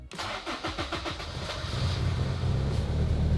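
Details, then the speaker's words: Turbo Honda S2000 after alternator work, started after a second fuel pump prime: quick cranking, then it catches and settles into a steady, even idle with no misses. It starts and runs fine. "all right so it's staying on and everything's running good"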